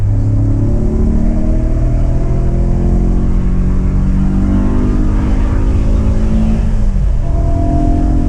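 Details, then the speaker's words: BMW E92 M3 S65 V8 under hard acceleration after replacing the exhaust manifolds (headers) that had caused permanent limp mode since a track day: deep note climbing smoothly through the gears, clean shifts, no leaks or ticks; healthy after repair. "Oh, the noise. I've been driving a car with just over 200 horsepower, and I got used to it. This is the palate cleanser I needed to truly enjoy this again."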